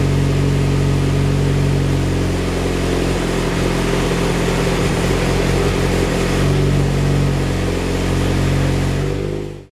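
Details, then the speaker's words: Mitsubishi Evo X 600bhp build, cold start after engine rebuild and turbo fit: choppy, loping idle with deep uneven beat before shutoff, from high-lift cams and dual valve springs, which the owner says is normal. "Now when I do start it, it's going to sound lumpy. That is because we've got high lift cams and the dual valve springs, so that is pretty normal."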